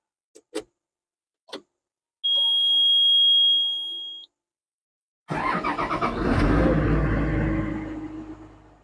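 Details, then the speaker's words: Komatsu PC200 excavator engine start from the cab during pre-operation check (P2H): a few clicks, warning beep about two seconds, then the diesel cranks, catches and climbs smoothly to an even run; healthy start. "Setelah kita mencek keseluruhan bagian luar alat yang sudah kita lihat, sekarang kita mau mengoperasikan dan kita mau menghidupkan engine-nya."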